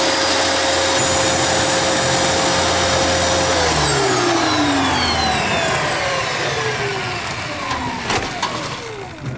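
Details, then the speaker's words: Dyson DC28 vacuum tested after a service: steady high motor whine with airflow rush, sounding slightly rough, then spins down smoothly when switched off; runs normally. "It sounds kind of rough, but it's 28. So that's how we do a 28 service."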